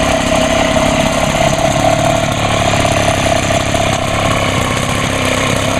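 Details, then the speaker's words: Homelite HT-21 hedge trimmer two-stroke on first start after carburetor rebuild (carb soaked in Sea Foam): runs steady and even, fairly quiet through its small muffler, no misses or surging; healthy, no adjustment needed. "oh how about that she fired I'll be she's actually running"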